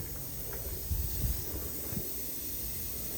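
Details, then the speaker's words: Class A semi truck not started in over a year, engine off after air tanks filled: strong steady hiss from a pressurized air leak under the truck, probably brake lines. "y'all hear that huh that's a pretty strong his I think I'll be able to make it to wherever I got to go but yeah that's pretty scary though"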